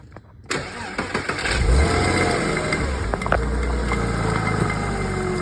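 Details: Porsche 986 engine catching and settling into idle with a loose, uneven rattle ticking about four times a second over the idle note; engine rattle.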